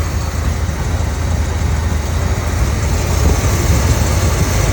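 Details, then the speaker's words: 1972 Corvette with 4-speed, first start: deep, lumpy idle with uneven beat and occasional stumbles; suspected fuel that won't atomize, expected to run better on proper fuel, not confirmed. "it'll run better when we actually get fuel in it that likes to atomize right now you're just making it run on like zero"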